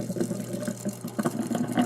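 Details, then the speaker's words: Rehooked double sink with garbage disposal, water draining with the disposal running after the backup fix: steady gurgling flow with splashing, draining freely with no surging and nothing backing up into the other sink; normal drainage. "I hear the water draining, but that's without the garbage disposal. And that's with the garbage disposal. And nothing coming up."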